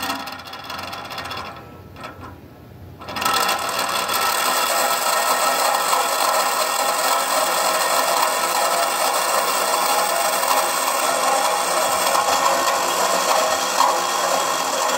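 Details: Model train turntable, believed 1990s and never used: small motor whirs with dry, rattly gear chatter about three or four times a second; gearing noisy and rough, cause suspected, not confirmed.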